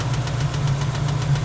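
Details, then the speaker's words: LT1 V8 in a 1961 Rambler frame-swap build, warmed to temperature, hot idle with oil pressure about 25: light regular knock about seven times a second over a deep idle throb; mechanical, too light for a rod knock, source unknown and unfixed. "That's a mechanical noise. But it just sounds too light to be a rod knock."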